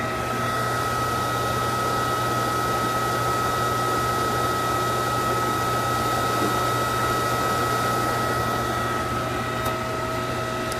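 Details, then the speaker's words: Emerson demo centrifugal pump deliberately driven into cavitation, heard close up: a dense gravelly crackle over its steady hum, like gravel going through it; a wireless vibration transmitter and accelerometer register the higher vibration and send an alert. "if you were standing here you could hear that this pump actually sounds uh quite a bit like gravel going through it that's the the sound of cavitation you would hear the same thing if you were out in the field"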